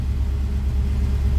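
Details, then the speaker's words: Carbureted LS 5.3 swap truck idling in neutral after replacing the failed MSD 6014 ignition box and loading the previous timing map: deep, steady, even rumble with no stumbles; misfire gone, normal idle. "no more misfire it is running as good as it was running before the box messed up"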